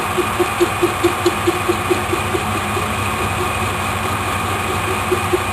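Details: Lathe turning a racing pulley, centre hole drilled slightly off so the face is off-centre: sharp regular ticks about four times a second over motor hum as the tool catches only part of each turn, an interrupted cut.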